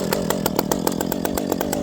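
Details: Ported Stihl MS460 two-stroke chainsaw with a homemade exhaust pipe, compared against a second pipe: high, sharp full-rev howl with quick, clean pulses and no bogging; this pipe is snappier and revs up faster; normal high-rev running.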